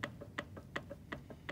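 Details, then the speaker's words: Honda passenger-side CV axle inner joint, pressure on inner part while shaft rocked side to side: sharp metallic clicks about five per second, alternating loud and soft; play suggests bad inner CV joint. "then you're going to grab the shaft and move it and see if there's any movement you can hear a little clicking"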